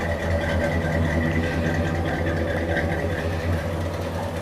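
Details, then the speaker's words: 1970 Chevrolet C-10 with a 350 V8 and automatic gearbox starts first time and idles with a steady, even low rumble, no knocks, ticks, misses or smoke; normal idle. "Like I said, this truck will start right up first time every time. Did you hear that? And that's just the way it does. Doesn't puff a bit of smoke. Sounds absolutely amazing."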